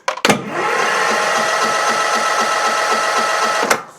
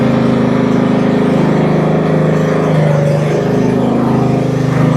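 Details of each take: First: Cub Cadet CC30 H riding mower, MTD Power More engine, turns over but won't start, carburetor solenoid unpowered during spark test: starter whirs at steady pitch, even beat about four per second, never catches; no spark from failed ignition coil. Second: Cub Cadet CC30 H riding mower, MTD Power More engine, after repairing crank-no-start, test run with parking brake set, throttle in fast, top off: small single settles into steady even run, brief disturbance midway, no misfire or knock; runs normally.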